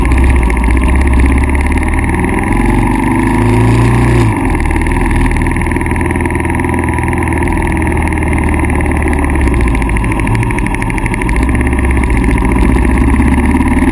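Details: KLR650 single-cylinder misfiring after CDI failure; stator, pickup coil, CDI (twice), plug (twice), ignition coil, wire and cap replaced with no change. Fast-idle thump with brief stumble, then recovers; rare miss every minute or two, cause not found.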